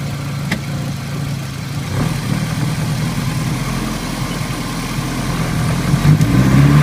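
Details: ABA engine swap at idle: uneven, stumbling idle with irregular dips in the exhaust beat, a few per second; misfiring, fuel pressure bouncing, owner unsure whether a failed injector or fuel pump is to blame.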